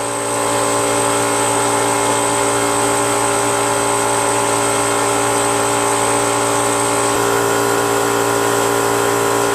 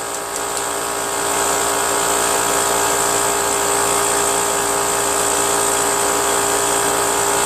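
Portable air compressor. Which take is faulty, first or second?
second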